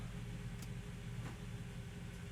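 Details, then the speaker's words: Mercedes ML55 AMG W163 after fitting a good used transfer case, at idle shifting into low range: one soft clunk as it locks in, no grinding afterwards; the transfer case engages low range normally. "Yeah, you could hear it lock in. And it goes. Go reverse. Yeah, she's moving fine."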